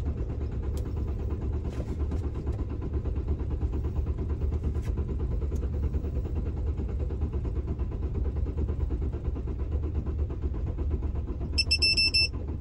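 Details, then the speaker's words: Ford Transit campervan diesel, cranked after cycling the glow plugs several times: steady low churning that almost catches but never fires. Owner wonders if the diesel has gelled in the engine; cause not confirmed. "Oh, almost. I wonder if the diesel's gelled in the engine."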